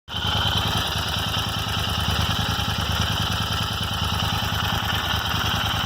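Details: Royal Enfield Interceptor 650 twin at a steady idle: a light, random, irregular tick from the left rocker cover area, like a clock's second hand; the dealer could not diagnose or fix it.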